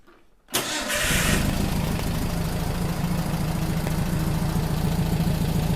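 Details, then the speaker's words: Rebuilt 40HP air-cooled VW engine from a 1962 Type 2 bus that sat over 40 years, first start after replacing a leaking oil cooler: cranks briefly, catches at once, settles into smooth even idle with steady low beat; normal running. "should make Rusty happy yeah it sounds good man really good"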